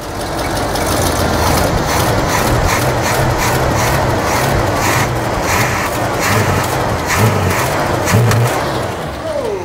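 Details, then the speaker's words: 1973 Cadillac Eldorado convertible, 500 ci big-block V8, just fitted with a new carburetor and power steering fix; lumpy, uneven idle with loud exhaust throb, runs but timing suspected still off, not confirmed. "sounds like we may have a timing issue still but it's running"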